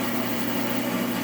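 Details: Ridgid 1400/1401/1402 bandsaw after riser block install with blade, switch, guides and new guard refitted: steady even hum, constant mid tone, no knocks or rubbing; runs smooth.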